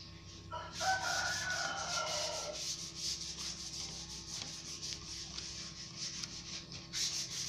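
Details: Wood planer after repair, reassembled to cure strong vibration and loud noise caused by a cracked part: quick repeated hissing cutting passes over a steady motor hum, with no rattle or shaking. It now runs smoothly.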